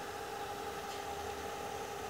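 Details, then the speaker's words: Profoto Compact Plus 600 flash after repair of total failure (calibration power error, no ready/reload, burnt board traces; serviced four times before): steady strong cooling-fan airflow hum with no rattle or wobble, running healthy. "kipasnya kenceng teman-temannya kipasa kenceng disini"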